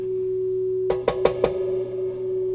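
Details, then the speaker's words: Hybrid tube/solid-state audio amplifier on bench: low steady hum under clean test tone and a few loud clicks; line hum suspected from unshielded input lead, not confirmed. "you probably use a shielded lead or something like that see if I get rid of some of that hum hmmm a little bit I'm gonna audio line hum in there I"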